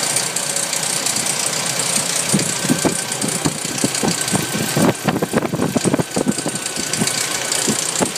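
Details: Nissan 240SX engine idling with irregular clattering bursts over a hissy background, rattles bunching and fading unevenly; strange rattle, source still not found, cause unconfirmed.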